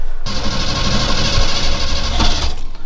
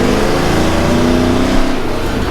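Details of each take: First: Chevy squarebody truck V8 started after battery terminals converted from side to top posts; starter cranks, engine catches after a few seconds, then idles with lumpy wavering beat, running rough, cause not yet found. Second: Chevy Squarebody truck with a tired 305 V8, cherry bomb muffler jammed in and crudely welded on mismatched exhaust piping (1¾ to 2½ to 3 in); clean, smooth pull with rising deep exhaust note, no misfire or hesitation, healthy acceleration.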